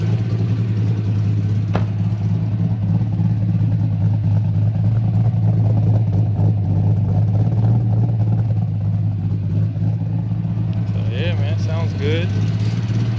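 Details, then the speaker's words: LS-swapped Lexus IS300 V8 after fixes, during a street test drive checking for overheating and drivability; deep even burble at idle, steady beat, no ticking or misfire, running and sounding good. "Ah, but it's running, man. It sounds good too."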